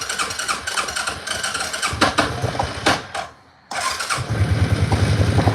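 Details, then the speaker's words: ATV, cold start with fuel back on, no choke, on throttle: uneven firing pulls together after a brief gap, revs climb and settle into a lumpy idle; slow to warm up. "Forgot, you gotta do no choke and you give it throttle. And then you let it work. Real cold-natured 4-wheeler."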